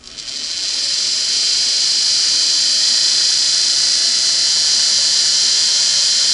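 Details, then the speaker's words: Restored Singer 401A sewing machine, final test before return to customer: motor spins up to a steady airplane-like whine from gear meshing with the motor worm gear, plus cleaned motor carbons breaking in; normal. "So some of that whine is a typical, some people call it the airplane sound. Some of it is that text-to-light gear on mating up with the worm gear on the motor."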